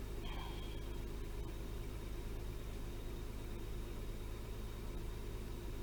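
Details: Toyota 3.0L/3.3L V6 after replacing the faulty VVT-i oil control valve that caused shaking and misfire: low, steady, even rumble with no stumble or shake; normal smooth idle.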